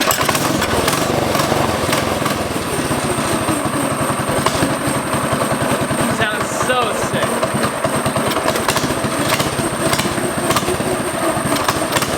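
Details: 60s go-kart with Predator 212 engine, just fitted with new header and performance air filter kit: fast, crisp single-cylinder popping at steady revs with a raspy exhaust note; running cleanly.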